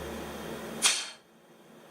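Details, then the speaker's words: Old LPG-fueled rear engine, about 70 miles since revival, bores probably rusted. When a finger is lifted off the pressurised crankcase breather, a sharp hiss bursts out and fades: crankcase pressure from blow-by past the rings. "So that's built up pressure because that's leaking past the rings."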